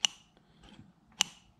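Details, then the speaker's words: 1978 JC Penney Pinto moped carburetor after an hour of disassembly and degunking, throttle previously stuck: two crisp light clicks about a second apart as the slide snaps shut; throttle slide moving and returning normally. "All right, so after about a good hour of just degunking and taking this carburetor completely apart, we now have throttle. You can hear the little click."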